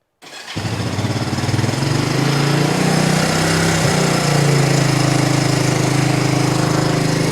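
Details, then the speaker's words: 1983 Kawasaki KLT250 three-wheeler that sat since last fall, started on choke after carb cleaning and a new spark plug: the single cylinder catches within a second and settles into a steady, even idle; normal start. "looks like we got the the three wheeler all sorted out nice little 1983 kawasaki klt250"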